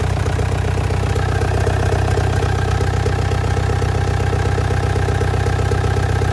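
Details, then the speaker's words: 1.9 ALH TDI swapped into Audi A4 (replacing 2.0 TFSI), first key start after idle screw adjustment and throttle wedged: loud diesel clatter with uneven lope; rough idle, owner suspects idle position setting. "oh oh it's running sounds a little funky maybe just didn't like that idle"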